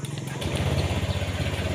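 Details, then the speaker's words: Honda Vario 150 after repairing a no-start fault (starter only clicked, burnt ECM socket, contacts cleaned and refitted); the engine catches at once on the starter and settles into an even low idle. "motor langsung nyala dengan starter yang dengan sempurna elemen jadi staternya sudah sempurna kembali tidak ada pokok permasalah Gigi"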